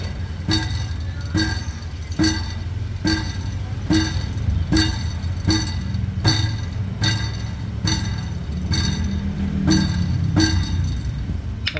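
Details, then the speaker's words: Metallic clinks about once a second over a low engine rumble, heard underneath the vehicle: crushed catalytic converter core loose inside and hitting its housing, metal-to-metal rattle. "merong ah sa loob niyan na nadurog tapos tumatama siya dun sa ano pinaka housing niya yun ung tinatawag na catalytic"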